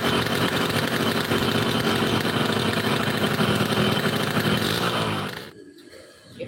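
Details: Yamaha RX King two-stroke brought in for a low-rpm stutter: a crisp, even idle with a steady popping beat and no stumbling before it cuts out; the engine is very hot and now runs stable and clean.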